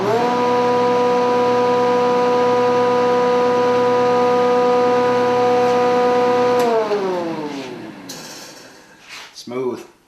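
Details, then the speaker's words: Newly assembled Grizzly G0654 6-inch jointer on its first power-up, checked for vibration: steady even hum with a clean, unwavering tone, then a smooth coast-down with no knocks or wobble; runs normally. "so now what we're going to do is we're going to go ahead and turn it on and we're going to check for any weird vibrations or anything and then what you can diagnose whether or not it's running smoothie or we have to go back and adjust something"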